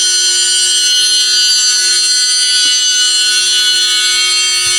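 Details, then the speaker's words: RC Promoto bike after teardown and reassembly: flywheel gives a high steady whine that no longer changes pitch when rocked, as it did before; owner thinks something was loose and tightening fixed it; normal flywheel whine. "notice when I rock it the sound isn't changing um when I was outside and I did this this town changed a lot but it's no longer doing that so it sounds good"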